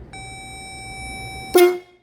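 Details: Pittsburgh 12V twin-disc horn set, rated 113 dB with high and low tones, bench-tested off the battery of a Jeep Comanche. A clean, steady mid-pitched honk held about one and a half seconds. Normal horn operation.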